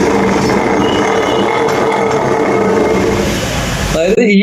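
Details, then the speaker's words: BS6 Honda Activa scooter, wheel spun by hand with the wheel fitted on its shaft. Loud, rough, uneven grinding rumble, also noticeable at low speed and when pushing the scooter; worn wheel bearing, needs replacement. "ബെയറിങ്ങിന്റെ sound ആണ് ഈ കേൾക്കുന്നത്. ഇത്രയും വലുതായിട്ടുള്ള sound ഇത് വണ്ടി സ്റ്റാർട്ടിങ്ങിൽ നല്ല രീതിയിൽ കേൾക്കുന്നുണ്ട്."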